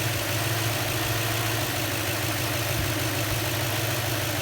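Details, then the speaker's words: 2004 Toyota Tundra after water pump and timing belt replacement: steady, even low idle, smooth and quiet with no rumbles, vibration or misses. "no rumbles no vibrations you could barely hear this thing is on when you're inside the cab now no more low idols coming out of the exhaust perfect"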